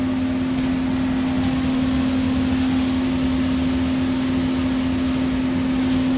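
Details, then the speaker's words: Furnace blower, possibly a motor installed a few months earlier, after a power outage: a loud steady single-pitch hum over the air rush; the cause is unclear, possibly something stuck in the unit. "I do hear it I'm not sure something stuck in unit but you do hear it it's kind of like a weird sound here"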